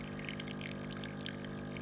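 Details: Breville BES920 with a volumetric extraction fault, pressing and holding for full pressure then pre-infusion: low steady pump hum with soft gurgling, even and unstrained; pump is pre-infusing as it should.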